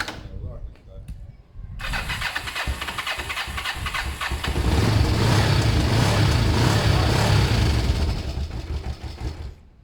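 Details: Kawasaki ER5 twin after wire cleaning, new fuel hoses and carb clean, started on a borrowed battery: after a short crank it catches and settles into an even, steady idle with a strong low thump, starting cleanly.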